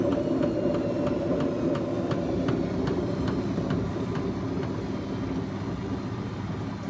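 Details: BEKO washing machine, 7 years 8 months old, drum bearings gone bad: steady rumbling roar with a regular tick about three times a second, fading as the drum slows, typical of worn drum bearings.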